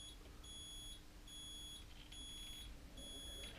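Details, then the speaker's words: Mobility scooter after throttle pot replacement, during adjustment: high, steady reversing beeps about once a second over faint hum; the beeper triggers too early, so the pot needs further adjustment. "a audible reversing tool and it beats come on quicker so I still need to adjust a little bit more"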